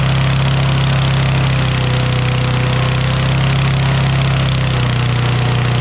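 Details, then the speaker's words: Toro Recycler XT675 mower with a Kohler engine, after carb cleaning: a fast, steady idle hum with no dips, revving above normal; the owner suspects the governor adjustment is still set too high. "so uh let me mess with this governor because the governor i adjusted yesterday and i think it's still revving too high"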